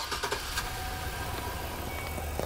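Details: 2009 Chevy Express V8 with code P0300 and excessive misfire: four coils on the same side are not firing. The idle is rough and lumpy with a stumbling, uneven beat.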